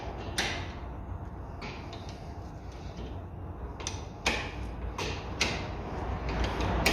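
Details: 2004 Renault Mégane Sedan 1.6 petrol, rear left wheel with brake pads removed: a low continuous rumble as the hub turns, with a few handling clicks, from a worn rear wheel bearing that is being replaced.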